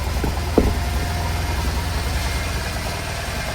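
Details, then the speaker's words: Bajaj CT100 carburettor bike back from a Ladakh trip, BS6 regulator/ECM, engine bore work done and refitted, just started: steady low single-cylinder idle with an even beat and no knocks or rattles, healthy. "Engines ಇದಾಗಿತ್ತು, ready ಮಾಡಿ start ಮಾಡಿದ್ವಿ. ಹೇಗಿದೆ comment ಮಾಡಿ ತಿಳಿಸಿ ನೋಡಿ friends."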